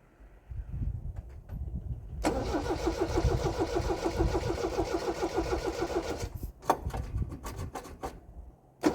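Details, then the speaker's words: MGB sports car first start, clutch in and choke pulled, engine cold: steady cranking about four seconds, then it stumbles and stops before catching; good oil pressure afterward and it still wants choke. "Okay, we've got good oil pressure. Fired up pretty good. Definitely still wants to choke."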